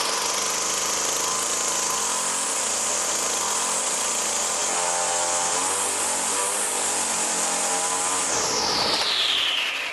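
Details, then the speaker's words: Poulan Pro Model 117 two-stroke trimmer on premix, stored about 3 years, after tune-up and carb work: steady high-rev scream with no drop to idle, then winds down, idle screw has little effect; high idle, possibly from the throttle cable sheath holding the carburettor open. "Well, the idle speed seems to be way up there and somewhat stuck. I backed off the screw, but that didn't seem to affect it in any great manner. Might have something to do with the throttle control."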